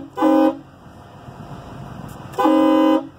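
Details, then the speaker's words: 2007 EarthRoamer XV-LT air horns, heard outside: two loud, clean blasts, a short one then a longer one, with a steady deep foghorn tone; air horn strong and normal. "crazy crazy loud foghorn it's just the most unbelievable sound you don't really need it"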